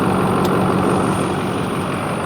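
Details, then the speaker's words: Ford 6.4 L Power Stroke diesel on a cold morning at first start-up: rough idle clatter with deep uneven knock; metallic bearing material seen in oil, blow-by only slight; rod knock. "yeah so it's got a little bit of a it does have a little bit of a rod knock when I first started up"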